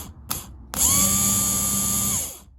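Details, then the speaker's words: Starter motor from a torn-down 1982 Honda V45 Sabre VF750S engine, bench-powered via positive lead with casing grounded: snaps up to a steady high whine, holds even speed, winds down smoothly; healthy starter motor. "got a starter, guys. All right, starter works."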